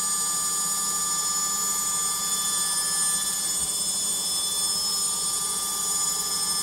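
A loud, steady high-pitched whine and roar holds through the fast spin with no knocking; a noisy spin, cause not yet clear.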